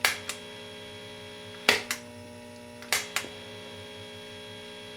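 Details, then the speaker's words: Late 1965 Epiphone EA-32RVT Comet tube guitar amp, reverb full after fixing reverb tank grounding with a jumper clip: faint steady hum, acceptable noise level. "the noise level is not that much different and at full volume like that that's not really a problem at all"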